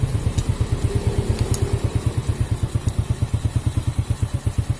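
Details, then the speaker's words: Honda Supra Fit motorcycle that ran harsh and stalled when hot, after cleaning oil pump and gear restored oil flow to valve cover: even, evenly spaced low exhaust pulses at steady idle, no harsh rattle; smooth now. "Suaranya sudah halus, tidak kasar lagi."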